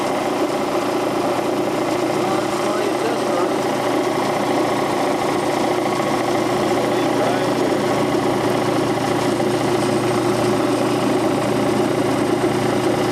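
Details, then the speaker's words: Quincy Model 325 compressor pump after lower-end rebuild, test run on tank with new starter, oil pressure 18 to 20 psi: smooth constant pumping drone, steady pitch, no knocks or rattles; healthy. "Alright, got the pump on the tank, got the new starter mounted and wired, and give her the old test run. Oil pressure on 18 to 20 pounds."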